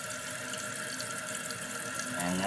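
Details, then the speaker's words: Kohler canister-style flush valve toilet after new seal installed: steady hiss of tank refilling, no trickle or running into bowl; seal holding, refill stops at top, normal. "So once it refills again, it'll stop. You'll hear it stop because it's almost at the top. Yep. So it'll stop right there, and of course you don't hear any water leaking."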